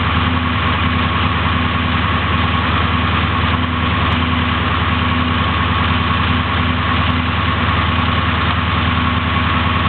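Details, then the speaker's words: Warming idle, still slightly cold, of a JMacPerformance 383 small-block Chevy 4x4 truck engine: 9:1 compression, 200cc heads, Edelbrock RPM manifold, 650 Demon carb, small Comp hydraulic flat-tappet cam, HEI. Plenty of oil pressure, strong vacuum, 6 lb fuel pressure. Deep, even lope with no knocks: healthy. "engine is extremely responsive runs extremely well"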